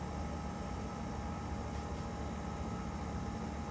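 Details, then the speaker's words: 1993 Panasonic Quasar 8,000 BTU split-style window air conditioner on low, slightly quieter than high, with a steady, even fan and compressor hum and no rattles; running normally. "Well, I like it better on low. It is actually a bit quieter. It kind of sounds like my Fetters and Weather Bureau and RTS in it."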